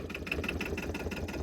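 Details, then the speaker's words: 2008 Arctic Cat Diesel 700 quad, bought not running, now started: slow even diesel clatter about six to seven beats a second, steady and unbroken, idling very low; normal low idle. "Would you look at that? She's idled very low."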